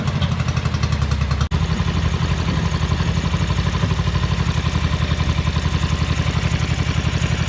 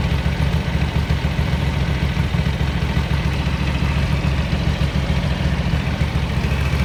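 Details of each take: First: 1983 Ducati MHR bevel-drive twin, 40mm Dellorto carburettors during balancing at relatively high idle: lumpy, loping irregular beat as if running on one cylinder until the idle screw is adjusted; carbs out of balance. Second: 1983 Ducati MHR bevel-drive twin, 40mm Dellorto carburettors after vacuum-gauge balancing: deep, steady idle thumping three to four beats a second, even and unwavering; carbs nicely balanced.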